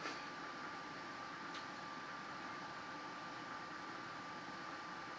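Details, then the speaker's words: Samsung induction range convection oven baking a cake: soft, even fan airflow hiss with a faint steady hum, quieter than the Samsung microwave; background rattle is the refrigerator ice maker, convection fan running normally. "The fan is very quiet. It doesn't bother me at all. I don't know where people get that it's so loud."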